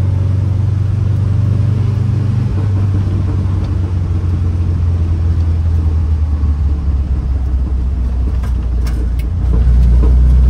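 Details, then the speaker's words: 1967 VW Type 3 Squareback on a road drive after fitting a Pertronix SVDA vacuum-advance distributor, re-timing and the first break-in oil change: steady drone under load, shifting smoothly through the gears without missing or surging; runs smooth. "I made it to the gas station and the car drove really well the engine is running really smooth I think the timing is way better than before"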